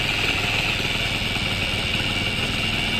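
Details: Motorcycle engine after rebuild, idling: constant high-pitched gear whine that stops when clutch lever pulled; to be fixed by opening the clutch side.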